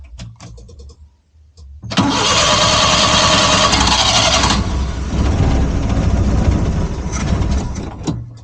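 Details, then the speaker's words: Suzuki Multicab that only cranked, starting with fuel poured into the carburettor and choke closed; a few weak cranks, then it catches and runs roughly, showing a fuel supply problem, carburettor to be removed and cleaned. "So umandar siya guys. So ibig sabihin ang problema niya is ah fuel supply."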